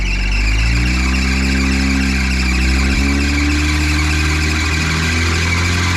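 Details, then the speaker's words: 1953 Willys CJ3B stored for years, running on dirty 2-year-old 10% ethanol fuel: a shrill squeal riding over the idle, wavering with engine speed; owner suspects a crooked alternator is smoking the belt. "I think that's the alternator so crooked or something but it's just smoking the belt it's running though"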